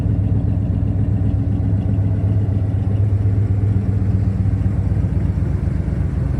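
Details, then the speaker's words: 1970 Pontiac LeMans Sport, 400 V8, manual four-speed, K&N intake, just fired up and burning condensation: deep lumpy idle with faint exhaust popping; owner suspects leaking exhaust manifold gaskets. "runs smooth has a bit of an exhaust leak I think I need to replace the manifold gaskets that's where you're getting that popping from"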